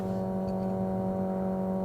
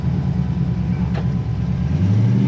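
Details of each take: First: 1957 Chevy 210 hot rod barn find, long-sitting, first start after adding fuel and fuel pump priming: fired right up immediately, steady even running with firm low tone, no knocks or misses; smooth idle. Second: 1957 Chevy 210 hot rod barn find driving 600 miles home, low gearing, struggling at highway speed: low V8 drone with uneven stumbling beat under load, spits and sputters; cause unknown.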